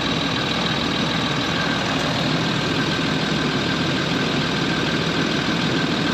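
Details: Land Rover Discovery 3/4 2.7L TDV6 diesel (chassis 7A000001 onwards) at idle right after fuel filter replacement and priming with repeated ignition cycles; steady, even clatter with no misses or knocks, runs fine, no fuel or oil leaks; normal diesel idle.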